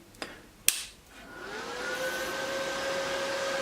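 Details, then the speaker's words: Hard drive from an old ProLiant server PC, camera zoomed on the disk, at power-on: two clicks, then a whine climbs smoothly to a steady tone as the platters spin up normally before a quick disk check. "Right, so I see that the disk now spins up to speed, and it goes into its it starts doing a quick disk check."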